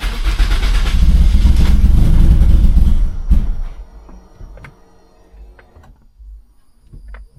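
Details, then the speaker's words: Turbocharged Corolla after fuel pump work, primed several times, no check engine lights: long steady cranking for three seconds, one brief catch that dies straight away; engine starts then stalls, cause unknown, owner suspects little fuel. "dang, it just doesn't want to stay running. Yeah, I'm not sure why. Like, it sounds like it's like so close to starting and then it just doesn't want to start."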